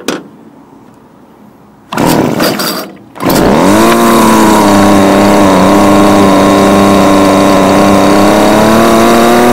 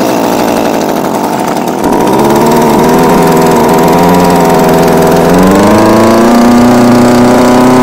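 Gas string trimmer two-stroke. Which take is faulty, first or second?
second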